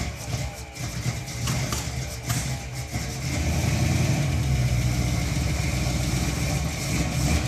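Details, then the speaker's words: El Camino with fresh 454 V8 after lift pump fix: uneven cranking picks up into rough low rumbling firing, then falters; fires but won't keep running. "That was good. It fired right up. It did. Doesn't run again."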